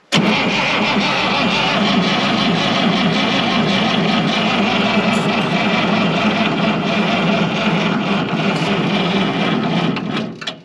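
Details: 1965 International 806 Wheatland diesel tractor, sitting since 1995: an even, rapid starter churn of about three turns a second for ten seconds that never catches and fades out. It cranks but won't fire; the battery then ran down.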